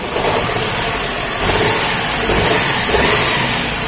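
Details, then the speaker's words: 2013 Daihatsu Xenia 1000 petrol engine idling with an uneven, stumbling, shaking beat; engine suddenly misfired with check engine light on, power loss, and DTC P0303 (cylinder 3 misfire). "mesinnya tiba-tiba pincang dan c-nya tiba-tiba nyala tenaganya hilang ya mesinnya goyang langsung kegiatan mesinnya goyang suaranya juga pincang kita"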